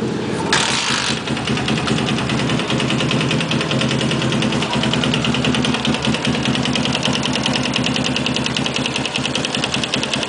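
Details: Yamaha Sniper motorcycle engine idling with a steady, busy metallic clatter running through its beat, described as knocking.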